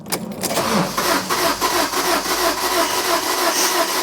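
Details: Fiat Doblo van that broke down on the M25, cranking with scan tool showing no readings: starter spins quickly and evenly with no compression pulses and no firing; snapped timing chain leaving the cams still, judged beyond economical repair.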